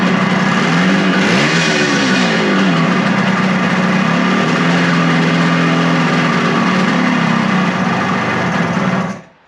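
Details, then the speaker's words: Suzuki two-stroke motorcycle after a second carburetor cleaning: buzzes unevenly, revs wander and sag, then it dies. Engine stalls after running; owner suspects the throttle/idle adjustment is too low, possibly out of fuel. "I definitely think that the throttle adjustments are definitely too low. Or maybe it ran itself out of gas."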